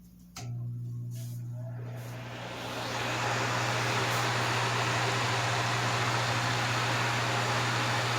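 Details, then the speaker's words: Vintage Wizard hassock fan with salvaged box-fan motor replacing burnt original, tested on high speed after transplant: steady hum rising to even airy rush, good breeze, very quiet, no vibration, rattle or scrape; normal running. "Okay, it's putting out a really good breeze. It's very quiet. There's no vibration, which is a good thing."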